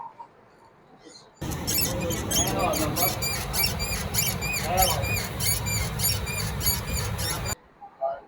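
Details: Brand-new 2026 Honda CG 125 with only 20 km: repeated sharp squeaks, a few per second, from a dry, ungreased centre axle (swingarm pivot). Greasing it removed the noise.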